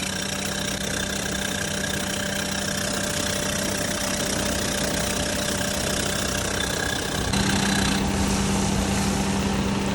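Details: Perodua Myvi engine at idle: a constant thin squeaking tone over a steady idle, getting a bit louder toward the end; drive belt squeal, said to be worse in the morning, when cold or in rain.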